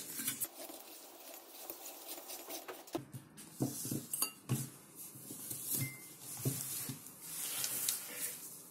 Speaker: включим ее и видно что лампа моргает и искрит слышно что здесь что-то искрит дело не в самой лампочки дело в электрике вот этой арматуры